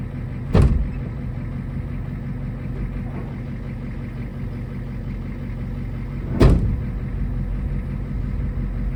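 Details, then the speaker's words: 1980s Ford F-250 diesel field find with the transmission mount out, giving a bang when moving off: a steady, even low diesel idle with two sharp handling thumps; the engine sounds healthy. Normal diesel idle. "I wish this thing had a title if it actually runs as good as it sounds like it runs let's take her up the road a [Laughter] mile"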